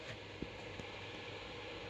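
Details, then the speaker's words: Acer Predator X27 monitor cooling fan set manually to 100%, louder than its normal 75%: steady, airy roar with no speed change. Loud cooling fan at full speed. "let it put manually to 75 can you hear it I definitely can so 75 was like normal and this is a hundred"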